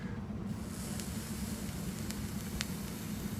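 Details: Vape coil built from stainless steel SS316L wire: soft, even sizzle with only a couple of faint ticks and no sharp popping, snapping or spitting, unlike regular kanthal; the coil is firing cleanly.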